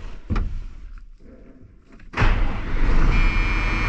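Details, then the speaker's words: 12-valve 5.9 Cummins diesel after P pump to VE pump swap, sat 15 years, handling clunks then catches instantly into steady solid clatter once rough running cleared up; no blow-by, clean quick start. "Well, just lights right off. I love these 12-valve Cummins."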